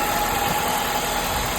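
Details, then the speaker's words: 2004 Honda CR-V K24 at its first start after replacing the VTC actuator for VTC rattle: a steady, even idle and smooth hum with no rattle or ticking, running cleanly. "Running great."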